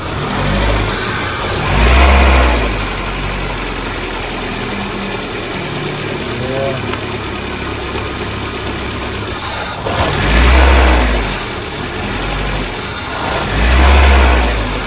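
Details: VAZ 2110 that won't run properly on petrol, misfiring with no stable idle: uneven, lumpy idle with hesitant rev blips that sag back; throttle position sensor not responding, rough idle traced to its wiring fault.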